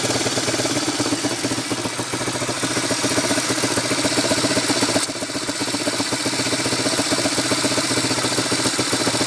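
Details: 1987 ATC 250SX two-stroke engine running with a busy, raspy note and a light metallic pinging and knocking from the top end. The owner is unsure of the cause.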